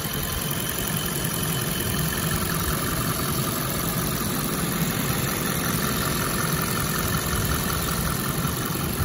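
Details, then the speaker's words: 2010 Audi A8L 4.2-litre V8: quiet, smooth idle with an even low hum and no ticks, knocks or whine; engine sounds healthy despite front bumper damage. "engine runs beautifully absolutely no uh weird noises or anything like that coming great tolerances for the engine"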